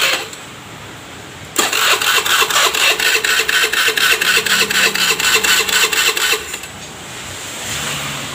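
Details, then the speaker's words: Honda Beat FI scooter, hard to start despite full service and reset, ignition on with no warning light blink: starter cranks evenly about two pulses a second for five seconds without firing; faulty fuel injector, replacing it fixed it. "susah hidup ya hidupnya susah banget dan keadaannya malah nggak bisa hidup ya walaupun sudah distater itu tidak bisa hidup"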